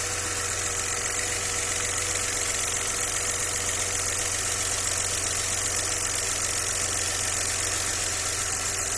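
Fast, steady tapping knock, roughly four per second, rides over an otherwise even idle; an internal knock, cause not yet pinned down.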